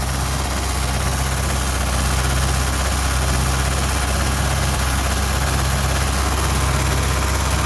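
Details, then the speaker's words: 1973 Ford Mustang 302 V8, first start in 10 years after fuel pump work: deep, even burble holding a steady low idle with no misses, knocks or hunting; healthy idle, though a fuel leak at the front was found afterwards. "d up first time in 10 years oh that sounded good hey look at that wow hasn't ran in 10 years"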